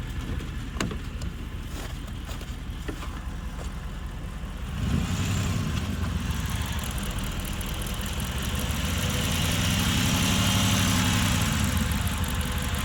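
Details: Hemi engine start: engine catches around five seconds in, then a light, quick, fairly even tick rides over the idle; owner worries about lifter tick, likely valvetrain.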